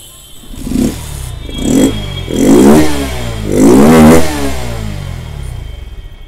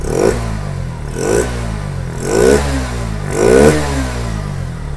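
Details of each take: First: Bajaj Pulsar NS160 BS6 with starting, pickup and missing problems: revs in uneven bursts that sag and nearly die between blips, stumbling and misfiring instead of holding idle. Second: Bajaj Pulsar NS160 BS6 with starting, missing and pickup problems, after swapping the injector failed to help and the leaking, dirty throttle body was cleaned. Four clean throttle blips rise and fall smoothly from a steady idle with no stumble; fault was in the throttle body, now fixed.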